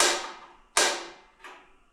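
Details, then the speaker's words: Shop propane "garbage can" heater first startup, purge button held with tank on low: three sharp igniter snaps about 0.7 s apart with no flame catching, as atmospheric air is purged from the gas line before the pilot lights. "this first time it usually takes a while to purge and that's what you're doing is you're purging the system"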